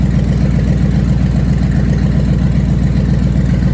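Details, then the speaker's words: Dodge manual, first run with part of the exhaust still off before welding it back on: loud, deep, even idle pulsing about four beats a second with a raw open-exhaust bark and no knocking; loud exhaust from the disconnected section. "i haven't heard it run yet at all remember part of the exhaust is still off but i want to hear or yeah i want to hear and want to see if there's any more issues before i weld the exhaust back on"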